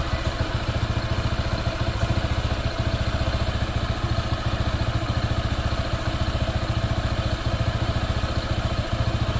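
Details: Honda PCX 160 scooter, new and not yet broken in, idling with a steady rapid ticking clatter of about 3–4 a second; the owner suspects a loose, slapping drive belt.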